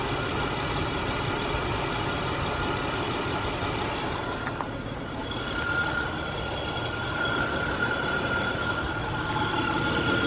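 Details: Acura MDX at idle with the A/C on: a thin high squeal rides over the engine. It was fixed by replacing the worn drive belt.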